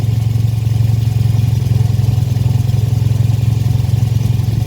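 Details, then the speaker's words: 2003 Toyota Yaris T-Sport at idle: sharp, rapid puffing chuff on every firing pulse; exhaust blow suspected at a joint, with a heat shield also squeaking or rattling. "also I started off with got bit of an exhaust blow as well which two signals sounds like it's coming from the joint mer"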